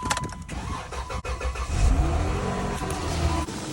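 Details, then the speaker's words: Car with dead battery, likely from lights left on, jump-started with portable lithium jump starter pack: short crank, engine catches and settles into steady idle with brief rev; normal engine start. "Dam if you can afford a car you can afford one of those portable jumping battery starter packs car is not starting and it would save you hundreds of dollars in avoiding a toe I'm so happy my car started"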